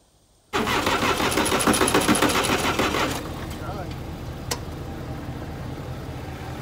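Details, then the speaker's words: Massey Ferguson 30B loader diesel, sat over 14 years, jump-started: starter churns steadily, about 3.5 turns a second, never catching. Cracked fuel-water separator drained the fuel lines; air suspected, bleeding injectors by cranking. Cranks, won't start. "all right so since it was out of diesel there was a crack in the fuel filter the fuel water separator on the other side so it drained out all the diesel that has been in the lines over the years"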